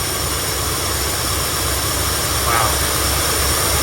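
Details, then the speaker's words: 1972 Ford F100 junkyard truck that sat for decades, first start after fitting a rebuilt carburetor (it previously ran rough with the worn carb). It settles into an even, steady V8 idle with no misfire or knock and no smoke, a normal idle. "there it is guys rebuilt carburetor just like that starts right up idling perfectly heel PK working good no smoke coming out of the exhaust"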